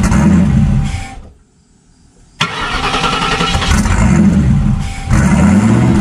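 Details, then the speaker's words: 1999 Lincoln Town Car 4.6 two-valve V8 turbo, run over 20 psi boost, breaking up under boost: cranks, catches, revs, then idles with occasional stumbles like a random misfire; owner suspects spark plug gap too tight. "kind of sounds like it has a little bit of a random misfire now I don't know if it's cu the plug G's too tight"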